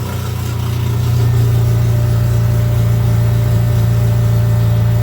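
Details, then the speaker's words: Dodge Daytona stock car with cobbled-together engine, first start on booster, engine light on: loud, uneven lumpy idle with an irregular pulse, rough running on the stock computer; owner plans to swap to the tuned computer. "Yeah, engine light's on. It's because we're running it on a stock computer. It's having a convulsion."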